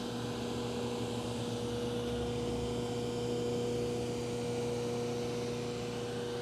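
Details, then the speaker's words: Baldor 12-inch pedestal grinder after dressing the wheels and readjusting the tool rests: steady, even motor hum with a clean whirr and no wobble, knock or rub; sounding good and running true. "Go ahead and fire it up. There we go. It's sounding good, and it seems like it's running nice and"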